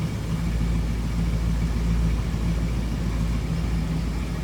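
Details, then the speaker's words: 1966 Ford Mustang coupe, 289 V8, no crazy exhaust, idling after cold start: steady, even low rumble with smooth loping V8 beat, no knocks or misses; sounds as it would have back in the day, healthy. "Sounds pretty good. What you'd expect out of a 289, no crazy exhaust."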